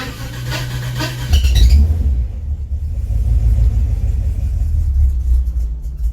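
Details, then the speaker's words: 1955 DeSoto, supercharged 392 HEMI V8, cold start after sitting a few weeks, possibly no fuel in carb: short rough crank then catches into deep uneven rumble; owner suspects timing, not as pokey as it should be. "This thing probably will not be happy because it hasn't been started in a few weeks."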